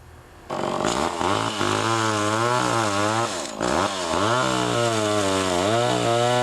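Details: Pioneer 11-60 two-stroke chainsaw after years in storage, with the ignition points readjusted and sanded: it screams and bogs smoothly into wood, recovering revs cleanly; runs strong and healthy.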